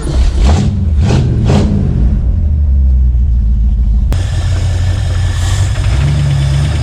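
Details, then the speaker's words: Knock at idle on a 1965 Mustang engine after near-full restoration, still present after adding oil stabilizer and 10W-40 oil; dull bottom-end knock under uneven exhaust rumble, ticking and rattling, owner first thought bearing. "oh yeah that's a knock you guys hear that"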